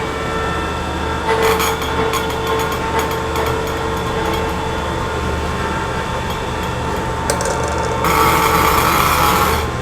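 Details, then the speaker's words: Diesel fuel injection pump on a test bench after service for a plunger stuck from running low on diesel, pressure now reaching 75: a steady hum with sharp, even bursts of injector spray. Pressure is strong and consistent, a healthy pump. "இந்த pump இப்போ ready பண்ணியதுனால தான் இன்ஜெக்டரோட பவரே ஜாஸ்தி ஆகும்."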